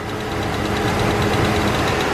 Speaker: Still have the slight ticking. It's definitely coming from this side.